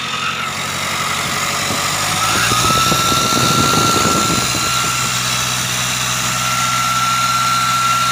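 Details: Mitsubishi Triton GLS 4D56 diesel at idle, recorded at the engine bay: steady high whine around 1.3 kHz, resembling a turbo but not one; failing alternator pulley one-way clutch bearing.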